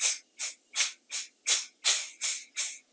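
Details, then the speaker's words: Kobalt model 3332643 air compressor at max pressure, after repairing the tool-side pressure regulator's stripped adjusting shaft: eight short sharp hisses in about three seconds as the knob is backed off; regulator relieving pressure normally. "when you back these things off you should hear it you know hiss out"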